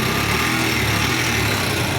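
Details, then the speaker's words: NS150 small single with a noisy engine: a busy, light tapping over a steady idle. The cause is a worn exhaust rocker arm; the intake rocker is fine and the conrod has side play but no up-down play. "Okay itong rocker arm na exhaust exhaust may tama ito namang intake yung intake wala So yung problema niya ito lang exhaust"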